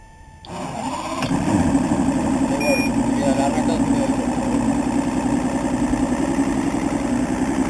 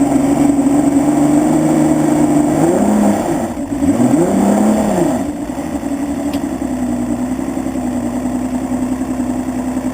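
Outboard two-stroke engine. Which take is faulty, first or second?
first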